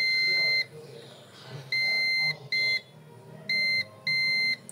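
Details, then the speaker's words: Digital multimeter on beep/diode range, red probe on board ground, touching both ends of a motherboard capacitor: five steady high-pitched continuity beeps, beeping at both ends, so the capacitors/motherboard line is shorted. "ক্যাপাসিটরগুলো মূলত short রয়েছে। মাদারবোর্ডটা হয়তো short রয়েছে, সে কারণে দুই প্রান্তেই beep দিতেছে। শুনতে পাচ্ছেন দুই প্রান্তেই বিপ দিতেছে, তার মানে এই মাদারবোর্ডটা শর্ট রয়েছে।"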